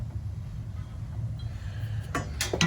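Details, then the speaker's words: Burnham Independence gas steam boiler showing 6-flash internal error on ignition control: low boiler rumble, then sharp metallic banging and clattering in steam pipe from water where it shouldn't be; water hammer. "okay in the intern you hear that banging sound clattering that steam wears that's water where it shouldn't be"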